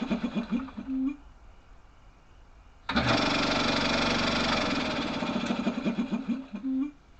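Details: Repaired air compressor after head unit repair: bursts of steady piston chugging about four beats a second with smooth loud stretches; even, healthy run.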